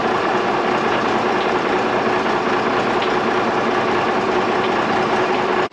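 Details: Freightliner dump truck diesel, freshly rebuilt, first start, smoking from assembly oil: even, steady idle with no knocks or misses before shutting off; normal idle.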